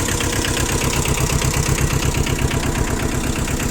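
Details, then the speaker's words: 2002 Yanmar YM1500D 4WD two-cylinder 17 hp diesel mini tractor, 997 engine hours: even idle chug near three pulses a second with a light rattle from a spring-mounted cover; engine runs smooth and healthy. "В принципе, трактор сам по себе работает ровно."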